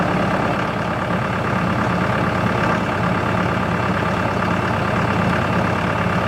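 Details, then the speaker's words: Tractor running a CountyLine post hole digger with 6-inch auger in hard clay; steady engine drone with an even, heavy churn under load and no clunks or squeals; clay clumps fall back into the hole but it digs fine; normal operation. "we got some really hard clay at my property here the big clumps of Claire or sticking together and our falling back into the hole other than that works pretty good"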